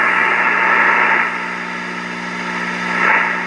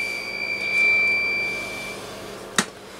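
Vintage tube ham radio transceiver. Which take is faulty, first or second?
second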